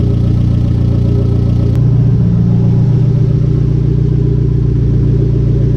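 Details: Conquest turbo G54B four, warm idle just over 180°F after a loose alternator wire was fixed, fans not yet on: a loud, steady low idle with an even pulse of about four a second and no misfire or knock; a normal idle.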